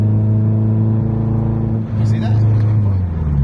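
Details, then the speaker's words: Nissan 240SX S14 floored on the freeway: deep, strained drone that doesn't climb, the engine bogging instead of pulling; cause unknown, and the owner suspects the injectors and plans to clean the idle air control valve. "So, I step on it, floor it, and it bogs out. It makes that"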